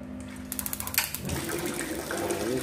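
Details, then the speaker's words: Wasser WH 506 A gas water heater after control module test: quick run of igniter ticks, soft whoosh as gas catches, then an even burner roar; igniter fires, solenoid opens, gas flows, lights normally. "ini sudah hidup, berarti pemantik hidup, solenoid terbuka, gas masuk."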